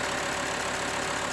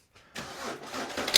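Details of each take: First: 2005 VW Touareg 2.5 TDI that had a terrible rattle at idle and while driving, traced to the A/C compressor drive coupling; with a hack fix leaving the compressor inoperative, it settles into a steady, even diesel idle with no rattle. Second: 2005 VW Touareg 2.5 TDI started and idling: diesel catches, then a loud, bright metallic clatter from the AC compressor drive coupling, whose teeth wear along with the compressor freewheel pulley; the pulley shows a lot of movement.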